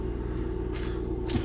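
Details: 2008 Mercedes-Benz E280 with an unstable idle: a lumpy, skipping idle from misfires mainly in cylinder 1 and also cylinder 2, worse under acceleration with felt engine vibration; misfire from dirty injectors.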